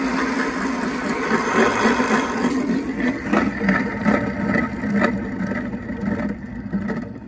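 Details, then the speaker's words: Renault Zoe ZE40 traction motor removed, rotor spun by hand: gritty, rasping rumble fading as it slows; both bearings worn and noisy, motor judged rebuildable. "well that it's pretty terrible isn't it I think that's actually both bearings that are making a noise"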